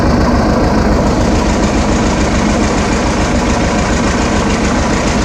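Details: 1936 Caterpillar RD7 crawler, first start since its seized, water-contaminated starting engine was rebuilt from parts units: deep, even diesel chug with a steady beat, no misses or knocks; normal running.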